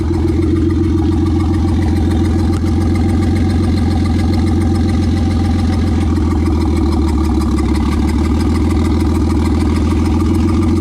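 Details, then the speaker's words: Nissan Skyline idling briefly during leak diagnosis before the head comes off: a steady, repeating puff-and-dip miss. Paper and a finger held at the tailpipe get sucked in hard, confirming a valve leak, a burnt valve. "Like I just kind of put my finger next to it and it was just like wanted to suck it in. So it's definitely a valve. Bad news is it's a burnt valve"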